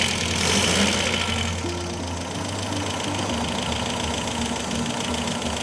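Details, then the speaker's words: Restored 1969 Audi F103 L 72PS, ignition timing just set, automatic choke, engine partly warm: smooth, even idle with steady low thrum, no stray knocks or misses; sounds better now, normal idle. "Automatic choke. Yeah. And it's got some warmth in it. There's warmth in it. Hang car sounds better now."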